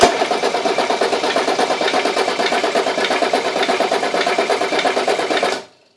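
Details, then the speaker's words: Mercedes 300TD wagon diesel cranking after valve cover and injector reinstalled, bleeding air from fuel system: sharp click repeating about once per revolution over even cranking chug; suspected internal engine problem, unconfirmed. "You hear that click, click, click. Just about the sound coming up on a revolution. I think we got a problem inside the engine."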